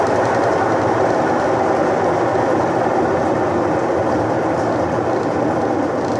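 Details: Electrolux washing machine after locating the faulty capacitor wire: steady, even whirring rush with no knocking or scraping; the drum spins up and holds speed normally.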